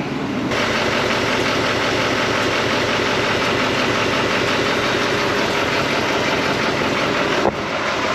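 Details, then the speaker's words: 2020 GMC 2500HD SLT Duramax diesel idling right after a fuel filter change and priming, while being checked for leaks. The idle is steady and even with no misses, knocks or surges. Normal. "okay it started up and running i'm going to check for leaks real quick"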